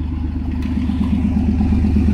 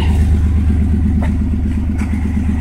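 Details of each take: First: 1992 Chevy S10 Blazer, cold, after replacing plug wires (the #5 wire was bad) that caused a misfire: a steady, smooth, even idle with no skips, plus a rattling catalytic converter leak. Normal idle. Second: 1992 Chevrolet S10 Blazer at idle on a cold day after new plug wires cured a misfire: low rumble with light rhythmic puffing rattle from an exhaust leak at the failing catalytic converter, exhaust smell noted.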